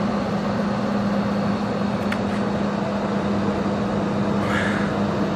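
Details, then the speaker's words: Vintage GM Frigidaire 16,000 BTU 220 V room air conditioner, back panel off, after about 10 minutes running: steady even hum and air whoosh with no rattles, lots of heat from rear condenser; running normally. "all right so it's been running for about 10 minutes now let's take some temperature readings here there's a lot of heat coming out of the back of this thing"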